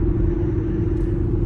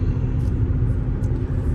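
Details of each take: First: Before sound: loud roar from Cooper Endurance Plus tires, noticed only after a rotation, at highway speed around 55 mph; constant low droning roar with faint steady hum; owner suspects tires, maybe wheel bearings. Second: After replacing roaring Cooper Endurance Plus tires with four used Michelin Premier tires, at speed: only low steady road rumble and some wind, no roar; tire roaring gone, big improvement.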